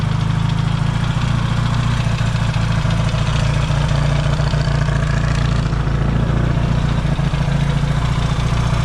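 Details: Yamaha XS650 twin, engine just reinstalled after fixing its oil-burning problem, first warm-up start with points not yet properly adjusted: steady low even idle pulsing about three to four times a second, no knocks or misses; no longer smoking, running healthy.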